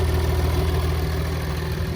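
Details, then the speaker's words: 2021 Ford F-150 3.0 PowerStroke diesel at about 5,000 miles, hood open; steady even idle with light injector clatter over a low rumble, a Cummins-like rattle, no misses or knocks, healthy engine. "Okay, if you listen close enough, it almost sounds like a Cummins. It's almost got that Cummins rattle. It's a great little engine."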